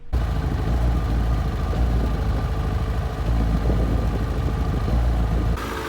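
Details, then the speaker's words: Warm 2007 Yamaha FZ6 idling raised to about 1400–1500 rpm with an uneven, stumbling beat from an unresolved intermittent idle misfire, despite wiring checks and new iridium plugs gapped to 0.022 in. "the misfire is still not resolved i'm still on the hunt for a solution"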